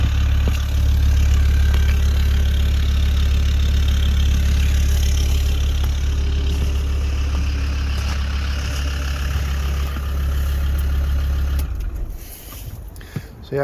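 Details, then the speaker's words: Land Rover Discovery 2 TD5 mapped diesel after new turbo and manifold fitted; deep, even idle with steady beat, no knocks or rattles, then clean shutdown; normal idle, engine healthy. "that sounds pretty good another job ticked off the list"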